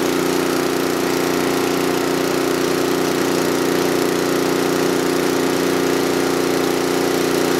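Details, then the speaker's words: John Deere TRS24 snowblower after oil change and lubrication, carburetor previously clogged so it ran only on full choke and was finicky: steady, even drone, no misses or knocks; runs pretty well. "so it runs pretty well um when I got it the carburetor is all clogged up wouldn't run unless you had on full choke"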